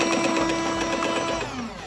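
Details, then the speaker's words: Philips LatteGo 3200 coffee machine, repaired and working normally, in service mode testing the grinder motor run empty: steady mid-pitched hum for over a second, then a smooth wind-down with no grinding or rattle; normal. "Yani bu ne demek oluyor ortada kahve suyunun ayarladığımız düğmeye bastığımız zaman yukarıda öğütme motorunu tested kontrol ettik"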